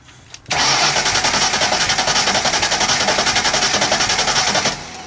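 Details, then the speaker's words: 1995 Ford Mustang GT left sitting for years, in neutral, starting fluid sprayed in: even, somewhat slow cranking about four beats a second that never fires; no spark suspected, cause unconfirmed. "so it probably doesn't have spark for some there's a reason that it doesn't have spark well the good news is it cranks it does crank all right"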